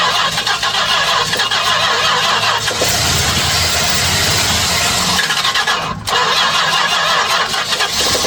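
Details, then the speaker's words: 1967 Chrysler Newport V8, barn find that sat for years, first start on carb-fed fuel: engine catches and settles into a steady, fairly even run with no knocks or misses, normal running. "Perfect. That's a starter. It runs"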